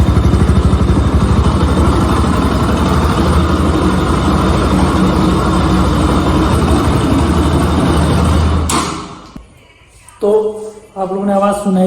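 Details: Bajaj Pulsar RS200 single-cylinder after a tappet noise fix done at home: a steady, even idle with no top-end ticking for eight seconds before shutoff; the valvetrain is quieter and sounds healthy.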